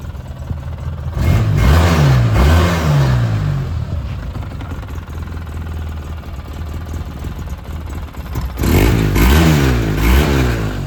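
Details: 2009 Polaris RZR 800, parked about 5 years, which earlier stalled whenever throttle was given: idles steadily, picks up cleanly on two throttle blips, settles back without stalling; running and revving normally.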